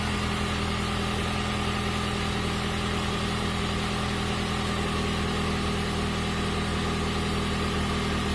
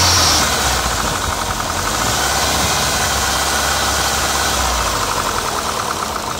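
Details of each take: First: PT Cruiser GT, after repair with cam belts on, valve cover loose: smooth, constant idle hum with no clacking or ticking; engine now running clean. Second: PT Cruiser GT, started the morning after a two-hour drive: loud harsh clacking about four per second over rough idle, diesel-like; valve stuck open from a sheared cam pin.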